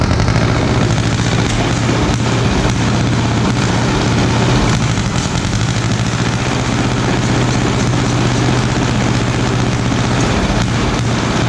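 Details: 1936 Caterpillar RD7 crawler, pony starting engine just rebuilt from parts units after water seized it, first start: steady, deep, rapid chuffing with an even low drone, no misses or knocks; normal running.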